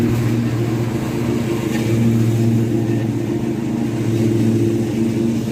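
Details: Restored Craftsman T100 riding mower after belt replacement: steady engine drone with smooth deck hum, no rattling or the earlier marble-like clatter; normal running.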